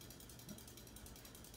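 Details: 1980s Hunter Custom Home 52" ceiling fan with walnut blades, running at about medium-high speed: fine rapid ticking that repeats with each turn over a quiet hum. Owner wishes for tape to stop the sound, cause unconfirmed.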